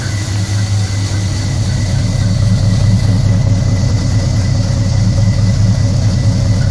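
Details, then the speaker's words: 1974 Chevy Nova 7.4L 454 big-block V8 with Edelbrock ignition control, electric fan and 58 psi fuel to the carburetor, 37,000 miles, last run before removal. Deep, smooth, even idle with no ticks or knocks. Normal idle. "you see so working very well absolutely nothing is wrong with you I'm giving it up to go with a more modern engine"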